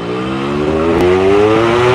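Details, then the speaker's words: Yamaha RX King two-stroke with standard exhaust, on an uphill road test: engine pitch rises faster than the bike gains speed, so the clutch is slipping. The earlier high-rev misfiring and cutting out is now fixed. "koplingnya selip ada masalah di kopling teman-teman"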